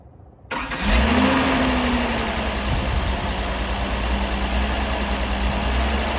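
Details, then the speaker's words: 1978 Datsun 280Z fitted with 240Z carburetors, untuned, no vacuum leaks, rocker arms set loose, EGR tube exhaust leak plugged: fires after a short crank, brief rev, then steady even idle with no misses or shake; runs smoothly. "The engine's also running super duper smooth. If you had your hand right here, it wouldn't even be shaking or nothing."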